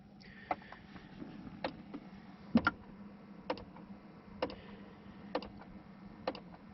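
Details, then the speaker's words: 2005 Ford Explorer with no heat despite fully warmed engine: sharp ticks about once a second from the dash corner when the heat selector is turned from cold, the blend door actuator's broken plastic gear teeth skipping. "hopefully you can hear that ticking sound. It's a ticking sound that when the actuators go bad, and that's pretty common on a lot of different vehicles. These actuators have plastic gears in them and the teeth break off."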